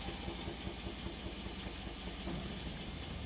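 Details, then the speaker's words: 2008 Chevrolet Suburban V8 idling low and uneven with a cylinder 4 misfire: truck shakes heavily and loses power, check engine light flashing, exhaust sounds slow. "parpadeando la la luz del chip jenner y la troca está muy temblorosa tiembla mucho pierde potencia luego en el mofle se escucha muy lenta"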